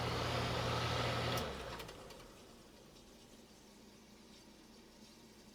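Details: Sealed fan motor in a '94 DeLonghi dehumidifier: the hum cuts off and winds down to silence in under a second, and the shaft feels stiff by hand. This short coast-down points to dry motor bearings.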